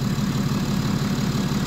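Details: BMW 5 Series F11 525d, N57D30A diesel, 197,694 km, rebuilt after a spun main crankshaft bearing: smooth, regular idle with an even beat, no knocking or stumbling; engine running properly, turbo said to be near end of life.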